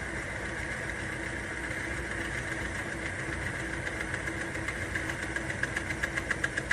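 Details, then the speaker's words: Timken bearing lubrication test rig with weight added as load on an unlubricated bearing: a steady motor hum, then sharp regular ticks and scraping build as the drive strains; dry bearing friction and wear stall the wheel quickly. "There. You can hear it scraping. There we go. There. And see, that didn't take very long to show the wear and the friction."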